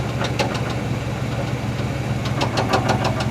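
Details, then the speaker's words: 1973 Chevrolet C10 Custom-10, 350 V8, 4-speed manual, about 30 lb oil pressure: heavy, uneven bottom-end knock at idle that fades and returns; seller called it a bad rod bearing, owner unsure. "He said it's a bad rod bearing. I'm not really sure cuz you can tell it kind of calms down. Sometimes it goes away entirely and it gets worse like you're hearing."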